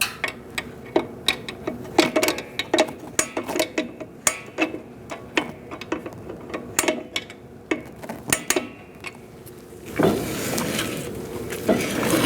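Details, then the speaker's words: 2004-2012 Chevrolet Colorado rear drum brake being adjusted after wheel cylinder replacement, wheel turned by hand: crisp evenly spaced clicks two or three per second; self-adjuster ratcheting properly, installed the right way. "And if you don't hear that clicking, your adjuster isn't in there right or you're going the wrong way."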